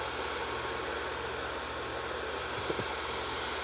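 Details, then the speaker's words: Custom Harley-Davidson chopper during a build: the small cooler fans blow a steady, strong rush of air with no ticking, scraping or wobble. Normal cooling fan operation. "That's the gnarliest fan I've ever heard, and look how small they are."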